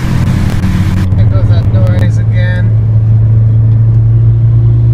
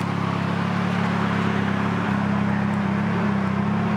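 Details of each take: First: 2006 Nissan Sentra SE-R Spec V, built turbo engine (GT35R, e85 tune, C1 cams), freshly rebuilt: heavy drone with uneven, lumpy pulsing; tuner suspected cam timing, and the cam phaser O-rings were found failed under the top timing cover. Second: 2006 Nissan Sentra SE-R Spec V, built turbo four-cylinder (GT35R, e85 tune), idling after a machine-shop rebuild and reinstall: smooth, even drone with a steady low hum and no knocks or ticks; sounds healthy.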